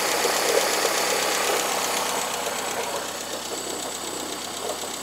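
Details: Cold engine at idle that also consumes oil: fast, even, light internal ticking three to four times a second; the cause is unclear.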